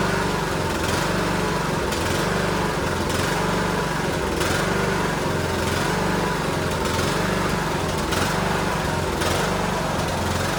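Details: Cub Cadet LTX1040 riding mower's small single-cylinder engine on a test run after the leaking carburetor gasket at the fuel solenoid was fixed; a steady putter with only a slight rhythmic waver at even throttle, running normally with no misses.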